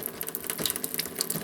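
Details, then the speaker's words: Off-grid tiny house cold water plumbing, water pump newly connected: faucet spits and hisses in uneven bursts instead of smooth flow; air in the water lines working its way out. "Yeah, there's air in the lines."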